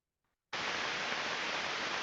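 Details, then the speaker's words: Healthy rolling bearing heard through an Ultraprobe 15000 ultrasonic probe in the 30 kHz range: a steady, uniform rushing hiss with no knocks or crackles. "you only know a little that a good bearing should have a uniform rushing sound like this"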